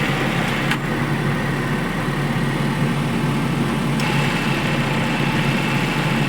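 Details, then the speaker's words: Maruti Eeco petrol engine idling after the loose alternator belt was fully tightened: steady low even hum, no squeal even as the AC compressor cuts in with a click; normal idle, no belt squeal. "देखिए दोस्तों आवाज नहीं कर रही अब और य जो आप आवाज सुन रहे हैं एसी की आवाज आ रही है"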